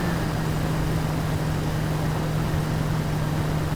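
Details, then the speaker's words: 1996 Jeep Cherokee XJ engine at a smooth, even idle with a steady low hum, no misses, knocks or ticks, after a new distributor was fitted for an oil leak at its gasket; timing is right and it runs great. "I'm very happy right now. It's running great. Timing's right."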